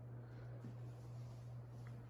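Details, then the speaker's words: 2012 Hampton Bay Carriage House II 52-inch ceiling fan: constant loud low hum, steady speed; fan possibly dying; cause suspected, not confirmed. "oh look how loud it is oh so loud"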